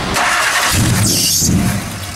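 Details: Shelby Daytona cold start after sitting three months, throttle held to floor; steady churning crank that never catches, engine turns over but won't fire, apparently not getting fuel after long sitting.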